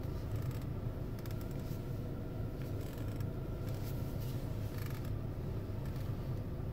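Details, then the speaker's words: 2021 VW Tiguan R-Line 2.0 TDI 200 4MOTION DSG cabin; dry, scratchy creaks in bursts as the steering wheel turns, both parked and driving, over a quiet cabin hum; creaking steering column suspected, unconfirmed. "Tak, kierownica podczas kręcenia skrzypi i to zarówno na postoju, jak i podczas jazdy."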